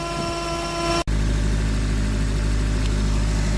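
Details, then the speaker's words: Honda Civic Type R FN2, auxiliary belt removed: the whining tone stops, leaving a plain steady idle rumble. The noise comes from a belt-driven pulley, possibly the air-con pulley, while the top pulley, tensioner and alternator spin fine. "so as you can see I've taken auxiliary bout off and it sounds much better"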